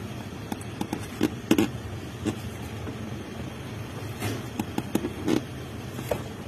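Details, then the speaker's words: Toyota Vios: sharp clicks and creaks as the high, stiff clutch pedal is pressed over a low engine rumble; the pedal has almost no free play, to be checked under the dashboard before suspecting the pressure plate. "Magandang araw mga boss ang problema ni customer mataas na yung clutch pedal niya tapos pag inapakan mo matigas pa at maingay"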